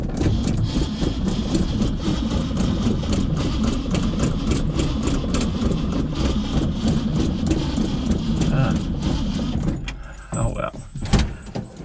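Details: 1965 Mustang stored for 4 months over winter: a steady rapid starter cranking rhythm for about ten seconds with no catch or firing, then it stops; the engine cranks but won't start.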